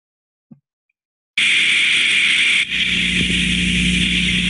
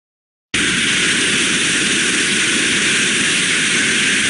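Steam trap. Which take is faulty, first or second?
second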